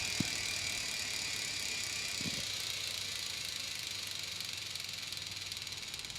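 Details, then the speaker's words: Three-speed city bike with an internal hub, coasting in a higher gear (second/third): fast, even, high-pitched clicking from the hub. This is the normal freewheel ratchet. "now we're hearing a little bit of clicking we're gonna coast so that's what second should sound like"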